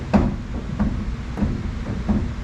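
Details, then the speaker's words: 1973 VW Super Beetle front end: dull irregular clunks every half second to second as the wheel is worked, worse on the right side, still present after disconnecting left outer tie rod; knock suspected at right wheel, stops when passenger outer tie rod disconnected. "and it is still making that noise so that tells me it's something on the right wheel most likely"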